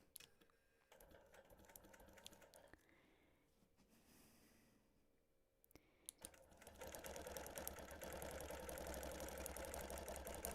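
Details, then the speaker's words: Longarm quilting machine stitching appliqué through several layers: quick, even tapping about four strikes a second, growing louder as the needle pounds through the thick layers; normal stitching. "You can hear the needle pounding through because there are several layers here."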